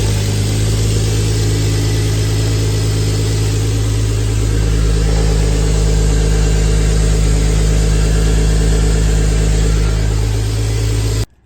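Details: Turbo E46 BMW ZHP on second tune, just after cold start: steady low hum, even pulses, stable pitch, no knocks or ticks; normal healthy cold idle.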